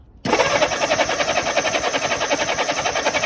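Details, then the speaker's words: Honda S600 cranking, no start: uneven starter cranking about three beats a second with no firing; contact breaker points sparking erratically. "Looks like we've got a little problem with the contact breaker points. Give another wind over, Matt. It's sparking, but erratically."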